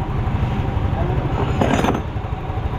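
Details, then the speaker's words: Yamaha Mio M3 scooter that lost compression and wouldn't start, old spark plug's core had pulled out leaking air; after fitting new spark plug: steady low putter, even beat, stays running; normal running. "Guys, umandar na. Ibig sabihin tayo yung naging problema ni boss sa kanyang entry."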